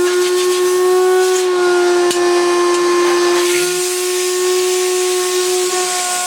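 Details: 1970s Hoover Constellation vacuum after a month's use: steady high whistle over the motor's rushing hiss, pitch constant; motor apart and looked okay, owner says something more fundamental is wrong, vibrates badly on laminate though suction fine.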